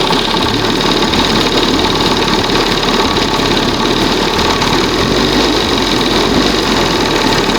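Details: 1971 Johnson 20 HP two-stroke outboard: fast, even buzzing idle with steady beat, no misses or surging; throttle cam set on the first mark, now responds properly; normal idle.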